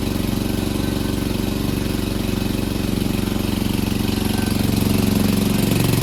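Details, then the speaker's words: Free Cub Cadet push mower (probably MTD, Powermore engine) after carburetor cleaning and wheel repair: even, steady putter at about three beats per second with no misses or surging; normal running. "Brought it back, cleaned the carburetor, fixed the wheels, so now the self-propulsion works."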